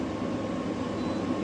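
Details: New GE 10,000 BTU window air conditioner (AWFS10WWL), while cycling through its mode settings: smooth, even airflow rush over a soft steady hum, no rattles or clicks; running normally.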